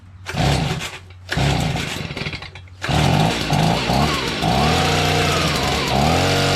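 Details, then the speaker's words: Stihl BG55 leaf blower two-stroke after new carburetor, trigger, fuel line and air filter base, primed: catches after pulls, steady idle at half choke, then even clean full-run buzz; normal idle and full-throttle run. "wow look at that idol too [Music] okay [Music] now it's on full run it was half choked before how about that"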